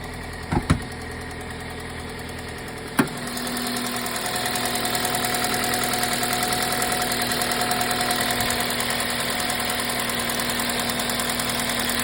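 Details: 2005 Toyota Matrix XR AWD, 1ZZ engine, 258K miles, timing chain tensioner replaced with OEM part 25k miles ago: cranks and settles to idle with a light, quick top-end ticking over the hum, slowly worsening over months; cause unknown.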